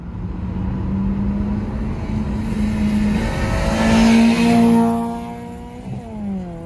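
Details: Honda Civic GL (EC9) with dual carburetors and a newly fitted straight-through exhaust: a loud, raspy note climbing with revs, then fading as the car pulls away. An open exhaust running normally.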